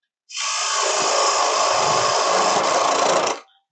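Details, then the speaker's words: Bowl gouge on a wood lathe entering without a V-cut gives a rough, hissing cut with an uneven rattling chatter as the tool runs into end grain and fights it. "If you hear that vibration, it's because I'm running into end grain and my tool is fighting it. The one thing that these type of shaped tools do not like is end grain."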